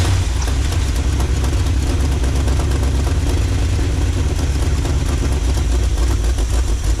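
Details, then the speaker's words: 1986 Chevy G20 van that sat five years, now running on its own after a disconnected computer wire was reconnected: a deep, raw, unmuffled roar at steady idle; the exhaust is blowing badly and needs rebuilding. "Probably gonna have to rebuild the entire exhaust on the thing, or just go down and take it to a shop."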